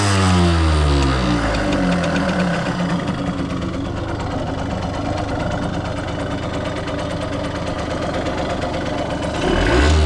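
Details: 1989 Yamaha YSR50 50cc two-stroke, 198 original miles, restored, with working oil injection: buzzing, revved up and held, then easing off without misses or knocks; healthy, running clean.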